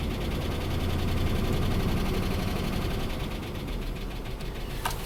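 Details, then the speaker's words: 2005 Dodge Ram 2500 5.7 Hemi V8, almost 300,000 miles, with a dead cylinder: steady light ticking about four a second over rough uneven idle; worn cam lobe from seized lifter roller suspected, causing low compression misfire. "that ticking right there I think a cam is worn out"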